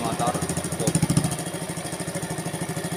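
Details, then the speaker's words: Small single-cylinder motorcycle after rebuild with non-original parts, valve clearance readjusted (one set at 0.15). Idle is an even, steady putter with the faintest tick, much smoother than before: healthy valve train. "Mantap ya suaranya jauh banget dari yang tadi"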